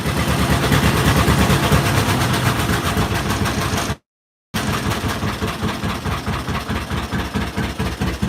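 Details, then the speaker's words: John Deere Model A two-cylinder tractor, first start in eight years, about 50 degrees out: slow, even putt-putt a little over two beats a second, no misses; a healthy old-style slow idle. "oh man that's so nice to have it a old soul slow like that they used to have contests with you would do that"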